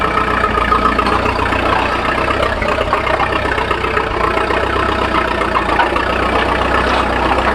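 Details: 1941 Fordson Standard N tracked Roadless tractor idling cold on petrol after a choke start, warming up before switching to TVO: steady, even low chug with no knocks or misses; normal healthy idle.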